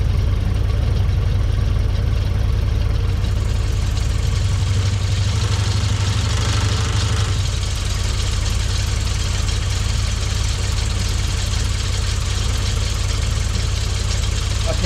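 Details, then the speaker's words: Frogeye Sprite small four-cylinder after bare-metal rebuild, steady low idle with slightly uneven beat as distributor is loosened and ignition timing adjusted by ear; engine keeps running throughout. "right so we've loosened the distributor so what we're going to do we're going to alter the ignition timing now"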